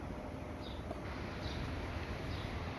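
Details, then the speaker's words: Mitsubishi MSSG13VC split air conditioner indoor unit, which flashed 3 times with a dead fan motor after cleaning, test-run after fitting a new fan motor: quiet steady whoosh with even low hum, no knocks or scraping; normal fan running. "ก็ตอนนี้มันทำงานแล้วนะครับมันมีลมออกมาแล้วนะครับ"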